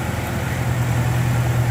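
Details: Toyota Hilux Vigo that would not start in the morning, restarted after adding petrol and refilling the empty radiator: steady, even low rumble with no knocks, misses or hunting; idles smoothly.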